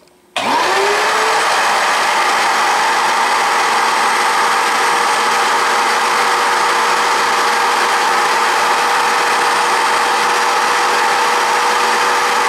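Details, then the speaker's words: Shop vacuum used as a swarf collector on a VEVOR MR-13A drill grinder; the motor spins up in a second to a loud steady roar with a hissing rush of air being pulled through, running normally. "not only is there a loud noise from the vacuum cleaner itself but you can hear the air being pulled through here and that's pretty loud too"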